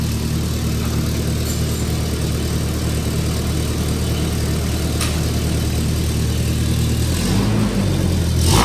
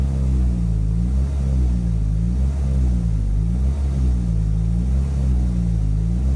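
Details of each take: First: Toyota 2.4L after EGR valve replacement and catalytic converter removal: steady, even low idle with no ticking, rattle or exhaust puffing, way quieter than before the repair; normal idle. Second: Toyota 2.4L truck at full throttle after the code was cleared and a loose distributor wire was fixed: deep drone that only rises and falls slowly and never pulls up; restricted exhaust from a clogged catalytic converter.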